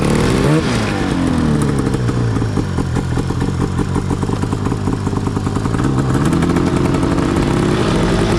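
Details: Yamaha YFZ450 custom chassis with swapped Arctic Cat F1000cc two-stroke EFI engine, first test ride after four-year build; crackling two-stroke rasp revving up and down, flat pickup. Sluggish, groggy throttle response; owner plans to fine-tune fuel pressure, cause unconfirmed.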